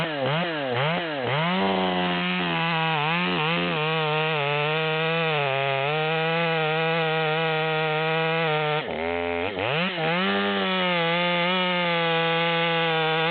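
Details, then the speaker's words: Tuned Stihl MS200T top-handle saw with 25-inch bar (84 drivers, 3/8 chain), cutting near its upper rpm limit after needle adjustment: high scream holds steady strong pitch in the cut and recovers quickly; pulling cleanly, no bogging. "and so we're running a little bit better in the wood even though I didn't cut over the top"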